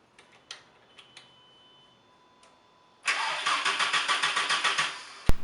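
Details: VW MK4 Golf after nine months parked, new battery and fresh fuel: a couple of seconds of steady rhythmic cranking that never catches. Fuel bubbles and spills when the ignition is on; the fuel pump has failed. Crank, no start.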